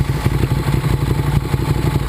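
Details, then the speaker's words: 2009 Ducati 848 after repairing a disconnected fuel pump hose, idling warm at 212°F after about 12 minutes of running. Even, steady lumpy idle with regular firing pulses and no misses, knocks or hunting. No fuel leaks; normal warm idle. "12 minutes we're back 212° fah no signs of leaks at all on that side and I don't see anything here looks"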